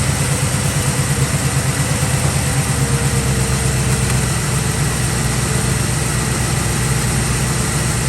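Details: 1965 Chevrolet Nova wagon V8 idled down after a Holley 600cfm four-barrel carb and Edelbrock aluminum intake replaced the two-barrel Rochester setup. Settled, even burble with no stumbles or misses. Normal idle with much better throttle response than before.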